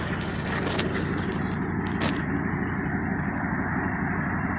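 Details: 1986 Trans Am V8 idling low with a deep even rumble, much smoother after new plugs, wires, distributor cap and rotor; a slight rattle from something jiggling still needs pinpointing.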